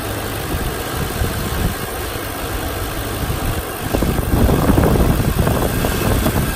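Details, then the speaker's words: 2008 Audi S4, about 66,784 miles: smooth, even idle swells into a fuller roar as revs climb, with no knocks or rattles; healthy engine revving normally. "I'm gonna try to give it a few revs here so we can catch the noise of the engine well is getting read now"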